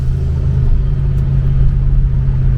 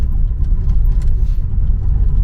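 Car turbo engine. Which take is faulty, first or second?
second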